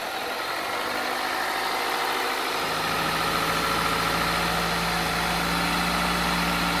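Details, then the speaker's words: Toyota 1ZZ-FE petrol engine idling with about half a litre of solvent poured into cylinders for decoking, plugs removed then refitted: uneven lumpy idle with shifting pitch, trying to stall; rough running after solvent decoking. "n'aime pas trop ce qu'on a versé dans les cylindres, il essaie de caler, sape, il ne survivra à rien."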